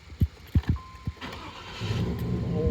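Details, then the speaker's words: 2000 Chevrolet Tahoe Z71 5.7 L V8, restart after starter replacement; a few separate thumps, pause, brief crank, then catches and settles to steady idle; normal cranking and quick start. "oh my gosh I see Smiles it starts and let's turn it off let's start it again"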